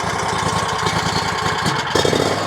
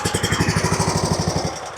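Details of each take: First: RedMax zero-turn mower with Kawasaki engine, after compression checks, vacuum-leak hunting, new intake gaskets and a carburetor tune that cured surging and backfiring: after a rough patch it settles into a smooth, steady run with no surging. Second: RedMax zero-turn mower Kawasaki V-twin with one spark plug lead pulled: uneven firing that sags and fades, hunting persists whichever cylinder runs. Before plug inspection and compression tests; surging from a carburetor out of tune.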